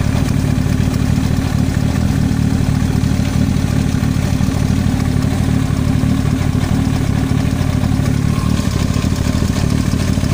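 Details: Yamaha YZF-R1 at idle: a loose, uneven clatter about three per second over the exhaust note, an abnormal knock in the engine head of unknown cause.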